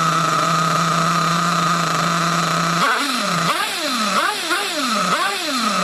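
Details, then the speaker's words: Nitro RC buggy engine after low-speed needle adjustment: high buzzing idle holds, then pitch hunts up and down about once a second and drops; owner unsure whether mixture is slightly rich or lean on the low-speed needle. "Still ticking over a bit. Oh, no. It's dropping down a bit."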